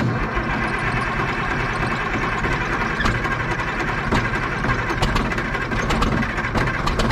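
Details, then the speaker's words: Caterpillar 977 track loader, sitting 12+ years, diesel firing after extra cranking; owner suspects air entering the fuel system via worn primer plunger O-rings: steady low diesel rumble at an even idle, no misses or knocks, settled and warming. "contact yeah baby it popped off with a little bit more cranking it sounds good it's sitting there idling nice"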